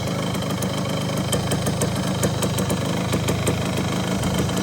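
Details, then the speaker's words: 1974 Honda MT250 two-stroke after rebuild with NOS piston and rings, idle and air-fuel screw adjusted: steady crisp idle with even rapid popping, no misses or knocks; normal idle. "That sounds really good. I'm pretty happy with how that turned out."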